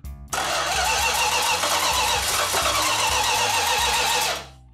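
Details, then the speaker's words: 1969½ Dodge Super Bee A12 440 Six Pack, 4-speed, at first start after restoration: the starter churns evenly for about four seconds but the engine never fires. It had fuel and spark; cause not yet confirmed. "At one point, I was getting a little concerned because it was not firing at all. And it's like, why is it not firing?"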